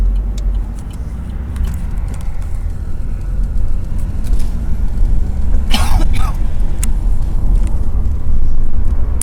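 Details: 2014 Vauxhall Astra Sports Tourer cabin above 40 mph with just one window down: a deep, pulsing throb from wind pressure buffeting inside the car.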